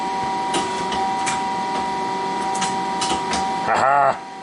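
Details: 1983 Citizen L12 CNC lathe after high-speed milling shaft repair and turret reassembly, first power-up calling tool 21: steady machine hum, then a brief smooth whirr under half a second as the turret swings and stops cleanly; indexing normal.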